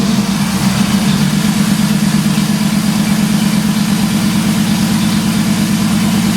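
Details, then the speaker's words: 1983 Ford Fairmont Futura, turbo Vortec 4200 DOHC VVT inline-6, after ECU trigger setting corrected from rising to falling edge: brief start, then smooth, steady idle with even low beat, no misfires; normal start and idle. "all right so i had the one setting in the ecu wrong i set it to rising edge instead of falling edge that fixed the problem"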